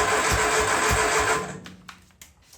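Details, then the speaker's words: Triumph Spitfire freshly rebuilt engine, first start, weak spark seen: starter cranks in heavy, uneven pulses with a few weak tries to catch that die away; won't fire, timing suspected too advanced, not confirmed. "It's trying, but it's acting more like the timing's off a little bit. Like it's a little too advanced or a little That's probably why we weren't getting anything."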